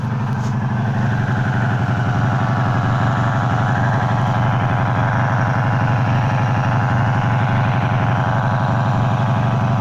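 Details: 1984 Magna V30 V4 idling evenly with a steady low buzz riding over it, apparently from the clutch or crankcase side; cause unknown, and the rest of the engine runs smooth.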